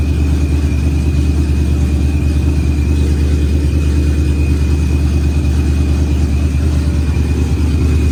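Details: Procharged Ford Coyote V8, first fire-up of the built engine, good oil and fuel pressure: deep, even rumble at steady revs with faint constant whine; smooth, healthy warm-up idle.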